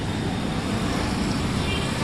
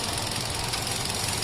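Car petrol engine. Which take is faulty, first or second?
second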